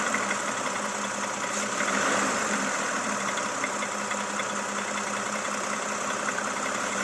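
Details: Toyota Camry XV70 3.5L V6, 30,000 km: at idle a light, uneven ticking knock about four per second over steady hum; engine knock, source unknown.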